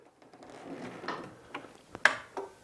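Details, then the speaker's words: Wet mobility scooter after fault finding, in manual then switched on: pressing the tiller forward and back gives a few sharp, dry clicks of the electromagnetic brake releasing and re-engaging, a normal sound. "tiller to go back, and you can hear the brake clicking on as well. So I'm quite happy with that."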